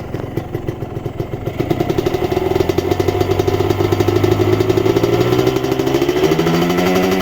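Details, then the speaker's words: Ninja two-stroke motorcycle, revved from idle: a buzzy note climbs smoothly in pitch and drops back cleanly, with no piston rattle when the throttle closes; a healthy engine, among the smoothest of its kind. "Wow seperti itu ya teriakan tidak ada ya ini memang yang terhalus di Ninja 2tak"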